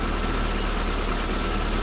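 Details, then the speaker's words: SPI Mini, petrol, cold engine in warm-up cycle, throttle untouched, about 1200 rpm per code reader; smooth even low drone at raised idle, steady firing, no knocks or misses; normal fast idle. "yeah it's under warmup cycle right now so it's about 12200 RPMs"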